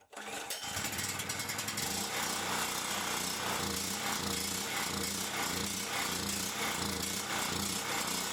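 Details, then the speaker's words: Champion 3500 W generator after carburettor cleaning, having sat all summer with old gas and run only on full choke; fires on first pulls without choke, steady even buzz, no hunting, sounds like a plane; normal running. "there it goes what the hell that sounds like a big ass plane though"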